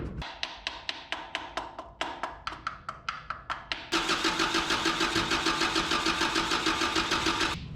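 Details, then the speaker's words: 1984 Toyota dually truck after a Weber carburetor swap: even cranking then faster spinning that never fires, with no fuel reaching the carburetor bowl. "It'll take a few cranks to get some fuel in the bowl and then she should go. What is going on here? And I still ain't seeing fuel."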